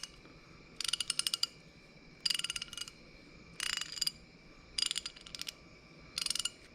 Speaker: Listen to that. Can you hear it? Try the other way. Magic to my ears. Isn't that nice?